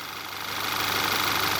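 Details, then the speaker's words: 2012 Volkswagen EOS 2.0T TSI EA888 Gen 1 CBFA, first start after rebuilt cylinder head and timing chain job following jumped timing and bent valves: smooth, even idle with steady hiss, no ticking or rattle; normal idle. "all right that sounds really healthy to me no tinging no ticking no noises"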